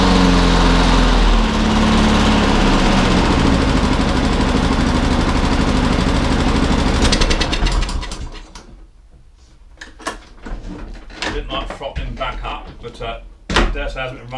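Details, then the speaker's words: Lawnmower after a carburettor clean (it previously started but soon stopped): the small engine runs smooth and even at a steady fast beat for several seconds, then is shut off. Normal running, fixed. "Good show. She's a runner. Fixed it, Riley. All fixed."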